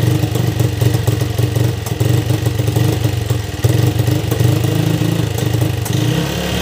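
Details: Yamaha Vixion motorcycle that died after running out of oil, spark plug replaced: single-cylinder thump settles to a steady idle, then picks up cleanly with a few throttle blips; normal idle and revving.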